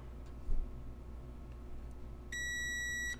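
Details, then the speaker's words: Carver TFM-45 amplifier under repair: a multimeter continuity tone across all three pins of output transistor Q22, a Toshiba 2SA1302 PNP on the negative side, showing it is shorted. "so we're shorted there and there and there so this is shorted across all three pins"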